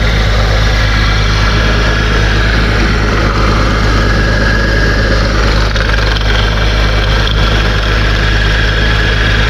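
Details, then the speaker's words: 2001 Porsche Boxster, 150,000 miles, engine idling while warming up after a radiator change: a rough, gritty whir over the engine hum from the belt drive; a failed pulley bearing. "I knew it was one of the pulleys. Is this one right here? Look at this. That is no good. So that's what's causing the problem."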